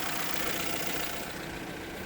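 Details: Small 1-liter Hyundai engine after adding about 3 oz of Lucas engine restorer to the oil: even, steady idle with no knocking or tapping; sounds smooth and settled.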